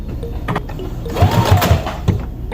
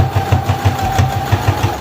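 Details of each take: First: New CS6000i sewing machine sewing thin fabric, with the thread repeatedly breaking. Short bursts of stitching carry a dull, repeated knock that the owner asks if is normal: a knocking noise. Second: New CS6000i sewing machine on a straight stitch at its middle speed setting. Even thumping at about six stitches a second over a steady, light motor hum: normal running.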